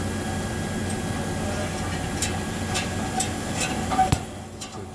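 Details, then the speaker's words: 2013-2015 Chevy Silverado, while driving: light metallic ticking roughly twice a second over steady road rumble, caused by a rattling valve in the exhaust. "Alright, for you Chevy owners that are experiencing a ticking noise while driving, you got your exhaust. There's a valve right here."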